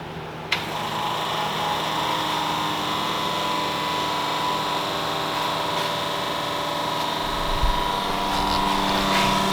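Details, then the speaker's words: Cummins diesel on a shop-floor run stand, electric lift pump from a VP44 Cummins (1999–2002) priming the engine: steady electric hum with a light, even whine and no stutter or surging; no leaks, normal fuel lift pump operation. "you hear the old pump there making the noise and I don't see any leaks so far so that means we're going to have fuel supply to the engine"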